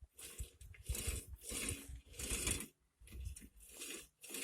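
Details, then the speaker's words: 2001 Honda Insight right front passenger wheel bearing spun by hand off the car: repeated gritty crunching rasps; loud tire-like noise while driving went away when turning right; worn right wheel bearing. "Definitely doesn't sound smooth. And I indicated that it's been making sounds, sounds like really loud tires."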